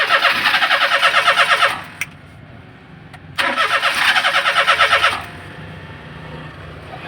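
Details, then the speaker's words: Daihatsu Atrai no-start: two bursts of fast, even cranking about three beats a second, engine spins but never fires; ignition coil spark weak and irregular. "so irregular ang pitik niya guys so ating observation guys mahina ang kanyang kuryente mahina ang pasok sa kanyang kuryente"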